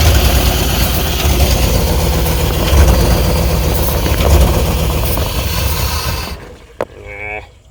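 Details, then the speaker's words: Early-2000s (about 2001) Chevy Tahoe, 5.3 V8 with 4L60E, bought as a parts truck: uneven, lumpy idle running on sprayed carb cleaner, smooths a little after a throttle blip, then shuts off; rough running. "Killed it. Well, I think that was good enough. It cleared up a little bit."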